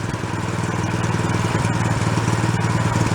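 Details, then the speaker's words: Used small snow blower after priming and warming to operating temperature: even, steady putter at idle with regular firing and no hunting; idle circuit now working, runs much better. "the idle circuit's working i want to say with the oil give it a pot let it warm up much better"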